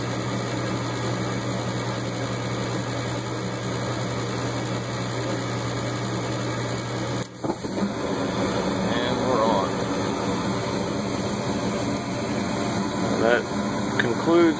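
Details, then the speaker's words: Furnace hot surface igniter after replacement, no-heat call: steady inducer fan motor hum, new igniter glows bright red several seconds before gas valve opens, soft whoosh as burners light promptly and evenly; normal ignition and burner operation. "we should see the glow fly right there or heat up any second turns on starts to light nice bright gas valve"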